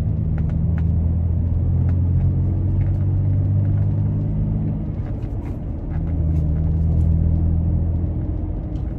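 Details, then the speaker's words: Toyota Tacoma with aggressive off-road tires on pavement: low steady rumble swelling gently with the road surface, no hum or howl. Normal road noise. "hear a little bit of road noise here hopefully the mic is picking that up"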